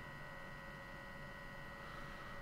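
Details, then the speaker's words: 12V computer fan (Noctua NF-F12 PWM) driven by a QuinLED ESP8266 controller: thin steady buzz with faint high whine over fan hum at lower PWM, gone at 1023 leaving a loud fan; fan buzzing. "Okay, now the buzzing goes away, and well, we just have a very loud fan."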